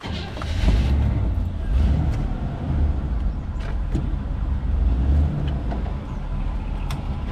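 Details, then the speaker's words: 1979 GMC Vandura on jack stand, new muffler fitted replacing blown muffler and broken-off tail pipe, at idle: deep, even low rumble with no rattles, a healthy exhaust note. "That's got a little rumble."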